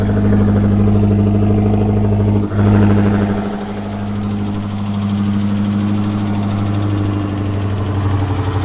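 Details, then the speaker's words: Driftcat engine, cold start on E85 after fire damage, warming up: quick light tick steadily over idle, roughly three per second, worsens, backfiring; suspected noisy lifter, cam, lifters, pushrods, valve springs to be replaced. "She's a ticking. She's a ticking. It gets worse, so it's all good though."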